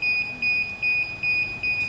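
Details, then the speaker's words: DJI Phantom 4 remote controller at first power-on: high, clear beeps repeating in quick groups about every 0.4 s. This warns that the controller is not calibrated. "자, 조종기에서 이렇게 처음 켰을 때 띠띠띠 나는 거는 조종기 캘리브레이션이 안 됐을 경우에 대부분 이런 소리가 납니다."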